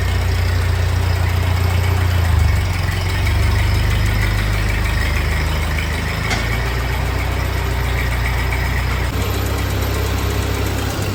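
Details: 1948 Ford 8N tractor idling in neutral on first start after a full engine rebuild, with a new carburetor still needing adjustment; steady, even low idle with no knocks, misses or rattles, smooth normal running.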